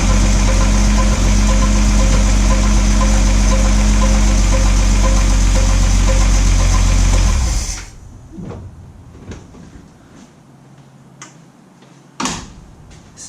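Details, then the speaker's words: Ford F100 truck after an engine failure, newly fitted with a Pertronix Ignitor and Flamethrower coil, timing not yet set, running from an IV-bottle fuel supply: a strong steady low rumble with an even beat for several seconds, then shut-off. Runs smoothly and sounds healthy. "I'm gonna go ahead start it up I have not done any timing I can't see my timing marks on the harmonic balancer but it sounds really really good"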